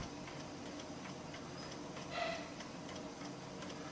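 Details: New Old Stock Amiga 1200 with 3.1 ROM, unused for 17 years, booting a 1.3 floppy: quiet, even light ticking of the head stepping and reading, no grinding; floppy drive reading normally.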